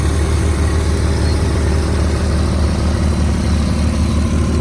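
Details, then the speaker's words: 2004 Volkswagen Touareg V6 idling: smooth, even low hum with steady pulse and no knocks, ticks or rattles; engine still very clean and quiet, normal idle. "the engine is still very very clean and quiet"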